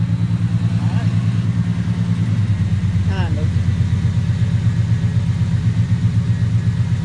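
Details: Truck exhaust after reusing the copper collector gaskets sealed with red high-temp RTV: even, steady idle with no ticking or puffing at the manifold. The exhaust leak is gone.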